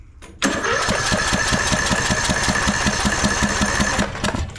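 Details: Craftsman LT1000 riding mower with non-original Briggs & Stratton 17.5 Intek single-cylinder engine, new spark plug fitted: steady starter cranking about 2.5 beats a second for four seconds, no firing at all; no start, cause suspected, not confirmed.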